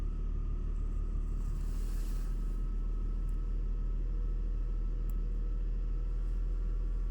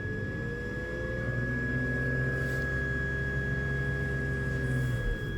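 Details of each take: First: BMW X5 E53 3.0 petrol, warm engine with an intermittent whistle: just restarted, steady low idle with an even rumble and no whistle at this moment, running smoothly. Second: BMW X5 E53 3.0 petrol, warm engine at idle: thin steady high whistle over smooth idle, intermittent, often disappears with slight revs; belts already replaced, cause not found.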